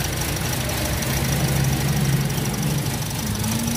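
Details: 2017 Toyota Vios automatic with a rough, unstable idle: the low drone wobbles, stumbles and pulses irregularly instead of settling; a misfire is mentioned but the cause is not clear.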